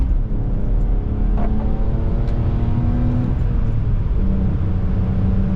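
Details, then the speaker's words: BMW E46 driving after welding leaky eBay headers: steady clean drone with a good bark, loud but not obnoxious, no ticking or puffing from manifold; normal exhaust note. "This is exactly what I was hoping these headers would sound when they're clean. Oh, they still have a good bark. Just loud enough so you can hear them, but not obnoxious."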